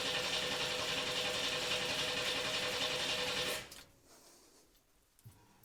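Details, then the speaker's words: 1982 S-10 with a swapped-in 3.4L V6, fuel relay fuse pulled and coil disconnected, being cranked to build oil pressure: even, fast whirring crank at about 3.5 beats a second without firing; normal cranking, and oil pressure came up. "Since we don't have spark because I have not connected the coil to the distributor, I think we're good to start building some oil pressure."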